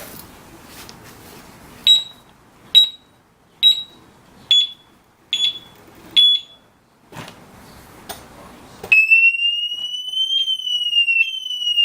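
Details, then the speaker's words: Urban UR6 alarm disc lock on a Victory Empulse TT, armed and moved: six sharp chirps about a second apart, then loud wavering continuous wail; theft alarm siren. "but yeah even if you just move it a little bit it'll go off so as long as they continue to move it it's gonna it's gonna go off"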